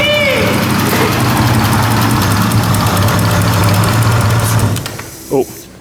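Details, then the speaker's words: BMW E36 with M52B28 turbo conversion, first start after cranking to build oil pressure: engine catches and runs a steady, even rumble about five seconds then shuts off; healthy, no knocks or rattles. "That sounds good, eh? Jesus. Woohoo! Yeah, boy. That sounds insane."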